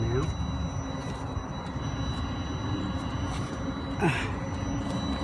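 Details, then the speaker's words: Webasto pre-engine water heater on a Ford Transit Custom MK8, with the silencer removed and the pump next to the fuel tank. Steady low burner roar with a light pump tick; the tone changes as it heats up. Normal operation. "You hear the tone of it has changed as it's starting to heat up now. Should have also a silencer on there, but I removed it because I prefer it with a bit more noise, so I can hear it that it's running all the time when I want it on."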